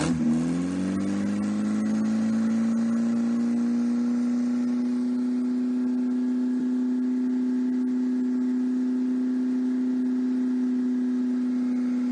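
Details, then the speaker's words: 1954 MG TF four-cylinder with no coolant, held at a constant higher speed: strong, steady, even, with no knocks or misses. Oil pressure was 60+ psi at 2500–3000 rpm, compression 162/157/157/156, and it is healthy with no rebuild needed. "it did seem to run pretty well and uh responded well to the carburetors"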